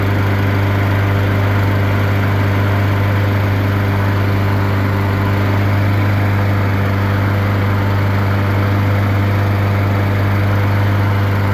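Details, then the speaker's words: Honda GCV160 on a Husqvarna mower after a carburetor cleaning, running with the bag on; oil fine and no leaks. Steady, even single-cylinder thrum with a firm low hum and no misses or surging, and nearly invisible smoke: runs normally. "Let it run with the bag and we're running more for a bit more. It should be okay to say that this thing runs."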